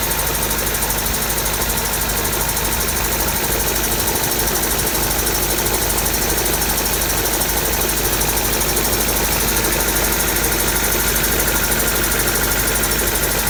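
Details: Honda D16Y7/Y8 "MiniMe" engine running with a steady dull knock following revs under the exhaust note; owner suspects a spun bearing from too much nitrous, cause unconfirmed.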